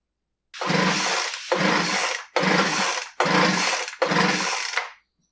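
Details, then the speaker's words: Poulan Pro BVM200VS handheld blower that won't start; spark present, plug was dry. Five rope pulls give light whirs with no firing after the fix of tightening two screws. Still no-start, weak compression; the repair failed. "all right that's a fail tightening the two screws didn't fix the blower like I said about half of the time it does and half of the time it doesn't this was one of the dozens"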